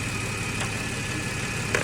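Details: 2014 Ford FG XR6 idling after the alternator and power steering pump O-rings were replaced. Charging now reads about 14.5 V, up from a falling 12 to 10 V before, so the alternator was the fault. Smooth, even idle with a faint steady whine and no knocking: normal idle.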